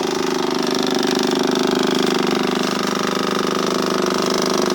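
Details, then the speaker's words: Kawasaki KLF 185 ATV fuel pump running with engine off, after tank and pump cleaning and wiring harness repair; steady mid-pitched electric hum with a fast light pulse, about three or four a second: normal fuel pump operation. "But actually there's progress. You hear that? That's the fuel pump."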